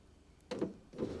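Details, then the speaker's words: Mercedes 300D power window regulator, powered directly after silicone spray lubrication in the glass channels, runs up and down at normal speed with an even motor pitch and no grinding or binding. Only one of four windows had worked before repair. "the speed that they should run up. when they're working properly. And then I'll reverse it. You hear the noise, the smoothness of operation. That is what lubrication can do."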